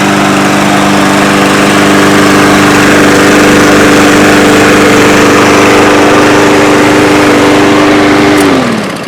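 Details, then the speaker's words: Yard Machines mower with a newer Briggs engine, after repairing its recoil clock spring and starter rope and topping up the oil. Run without the air filter and its box, it drones smoothly and evenly, then winds down; it now runs properly. "so it runs pretty good now I don't want a mall or test anything on it just because it doesn't have that air filter and the box that goes over it"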